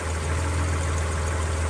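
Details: Breeze XR6 2.5 Aggressor six just started after 5–7 years sitting, no coolant yet: a low, even hum with no misses, ticks or knocks; a smooth, quiet, healthy idle.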